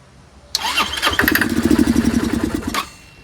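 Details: Curb-found Chinese 150cc Moto Cooper Revo/CF Moto scooter, ignition hot-wired, primed by hand: catches with a rush, runs rough and uneven a couple of seconds, then dies; fires only when fed fuel, owner suspects fuel delivery problem.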